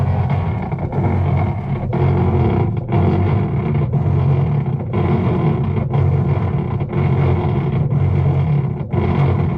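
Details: Whirlpool top-load washer with the lid switch jumpered: a heavy, rough grinding drone dipping about once a second while the lower agitator stays still. The owner reported noise and poor washing; a drive fault is suspected.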